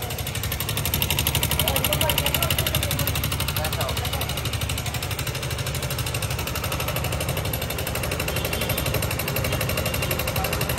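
Hard metallic tapping about four times a second rides over the idle from the top end: a worn cam and seized rocker from oil starvation.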